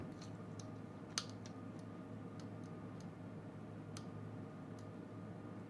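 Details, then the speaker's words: DIY 5W warm white GU10 LED kit from eBay, just assembled and lit: faint irregular sharp ticks over a low hum; owner unsure whether a component or a small spark, probably sparking at the pins as the capacitor charges. "we are a little thick I don't know if it's a component for making that noise or it's just a little spark"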